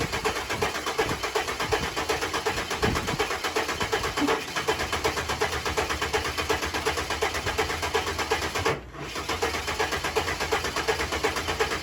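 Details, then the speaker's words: Ford AU Falcon first start in years, standalone ECU, new battery fitted replacing the tired M104 battery; steady rhythmic cranking just under three pulses a second, never catches: cranks but won't start. "new battery for the car because I was using the one out of the m104 and it has seen some better days it still didn't want to start up"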